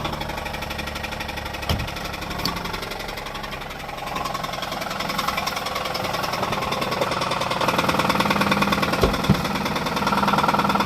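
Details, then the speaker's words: 2006 Pontiac G6 idling, started knocking while being driven, oil possibly overfilled: steady knock around four beats a second; rod suspected, not confirmed; later grinding while driving; engine knock. "So anyway, I'm gonna let you hear the knocking sound it makes now. It's probably a rod, but you hear that?"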